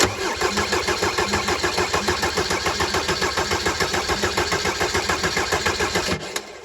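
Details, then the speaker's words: Mercedes 190D W201 diesel, after stainless fuel line replacement, injector cracked off to bleed air, cold weather: steady starter cranking about three and a half compressions a second, never catches; air in fuel system, bleeding until fuel appears. "What we're looking for is fuel to come out of here, but it'll probably take a while."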